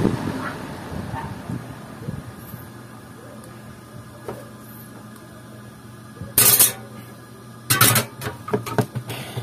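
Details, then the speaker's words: Ceiling orbit fan after repair, previously humming and stopping: steady low motor hum, even drone, no rattle or scrape; fan spinning strongly and smoothly, running normally. "bale Okay na siya maganda na yung ikot malakas"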